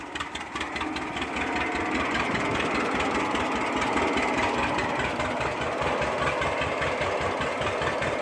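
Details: 1946 John Deere BO Lindeman crawler engine chugging at a steady, even pace with no knocks or misses; healthy running.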